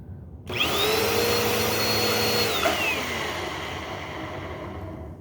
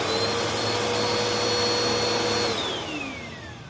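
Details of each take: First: Bissell Powerforce Helix upright vacuum: whines briefly, then winds down with a falling, slightly rough tone; motor seems okay, owner suspects worn brush roll bearing. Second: Bissell Powerforce Helix vacuum (purple unit) motor check: steady high whine at constant pitch, winding up and down smoothly with no screech, grinding or burning smell; sounds healthy.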